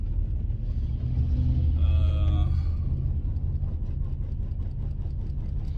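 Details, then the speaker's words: $300 auction car under load while driving, check engine light on and battery weak, gives a deep uneven rumble with irregular low pulses; owner unsure whether it is a bad misfire or an exhaust leak. "But yeah, it's got a bad mist, and it's either bad mist or a bad exhaust leak. So. Kind of sound like the exhaust. Kind of sounds like the exhaust."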